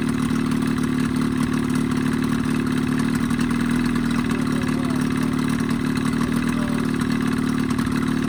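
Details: Evinrude 20hp two-stroke outboard modified to 25hp, after full service, reeds, primer seals, thermostat; steady mid-pitched drone without stumbling or surging; earlier lean coughing and spitting fixed, running smooth and healthy.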